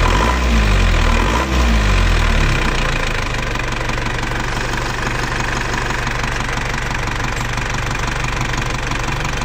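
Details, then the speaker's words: Diesel engine of a Panther (AE 1558 vehicle), after an engine rebuild with new piston rings and new timing gears ran rough; after retarding the injection pump timing slightly: brief rev then steady, even idle with deep regular firing, no harsh rattle; now smooth. "Sekarang suarnya kan sudah halus kan sudah halus"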